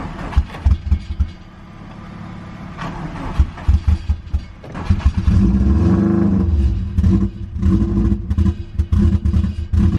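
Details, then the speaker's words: Subaru WRX that had sat long on jack stands, first start on jumper cables. Lumpy running with irregular surges and dips in revs; the owner suspects an unsealed vacuum hose: rough running on first start. "expected our start did not run very well so I suspected that it was this vacuum hose this right here"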